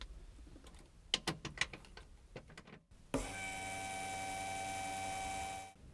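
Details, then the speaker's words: Holley Sniper EFI install, key turned to run after calibration, supply line run into gas can for flushing: clicks then steady electric whine of fuel pump briefly, then stops — normal fuel pump prime. "When you turn the key back to the run position, you should hear the fuel pump come on for approximately 5 seconds."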